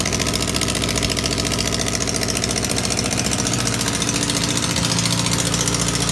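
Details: Honda CB600 Hornet F3 at idle: sharp rapid puffing tick on every exhaust pulse, hissy and raspy; massive exhaust leak at one collector, traced to corroded PAIR valve link pipes, later deleted with blank plates and new copper crush washers.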